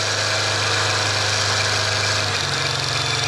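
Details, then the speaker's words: Used junkyard alternator for a first-gen Cummins being bench-tested spun by a drill, field wire connected: steady drill whine drops and deepens as the field energizes and the drill lugs down, alternator taking load. "you hear that lugged right down"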